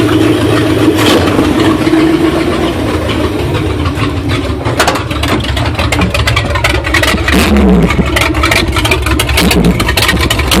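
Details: 1977 Ford F150 351M V8 lopes unevenly at idle with a ragged, stumbling beat, then revs up and settles back still rough; cause suspected, not confirmed.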